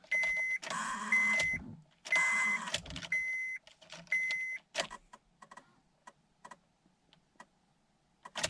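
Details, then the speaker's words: 2003-2007 Honda Accord: the key turns repeatedly, giving buzzing electric bursts, a chime about once a second and clicks but no cranking. The fault is a failed ignition switch (steering switch), not the key. "se puede ver la llave gira hace un ruido pero no arranca"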